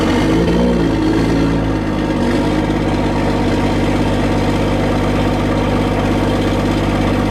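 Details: Cummins diesel truck cold start with grid heaters plugged in, block heater off; catches after a short crank and settles into even, steady clatter with no misses; normal cold start, block-heater-only start seemed slightly easier.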